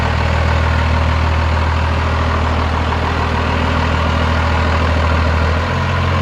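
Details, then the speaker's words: First-gen diesel dually idling after a new starter was fitted and the fuel shut-off solenoid addressed: deep, steady clatter with an even beat, no misses or knocks, idle settling slightly lower near the end; sounds healthy. "it's so much different experience than the blue truck like it is quiet in here it does have timing in it but it's quie"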